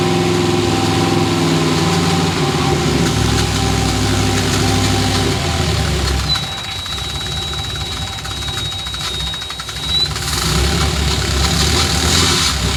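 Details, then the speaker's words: Cab-over truck's 454 V8 after new parts and a rebuilt throttle body: a heavy, uneven, lopey idle with a faint knocking tick. The throttle is hanging open and the engine is over-fueling; the owner suspects a bad ECM. "Whoa, see, it's hanging open again. Oh, gosh. It's just over-fueling."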